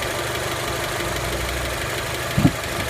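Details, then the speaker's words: Honda Element fully warm at 92°C idle, with a light, quick tick over the hum heard from the top of the engine and not from below, unlike an earlier rod knock. Owner suspects a misadjusted valve; not confirmed. "Все, мотор полностью прогрелся. Его отчетливо слышно. Вот отсюда. Вот где-то вот из этой области. Снизу его нет."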